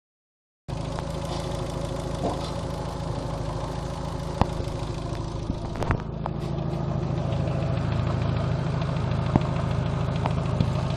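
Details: Second-generation Neon engine at idle: uneven, fast ticking-clatter over the low hum plus odd sharp knocks; strange engine noise, owner unsure of the cause.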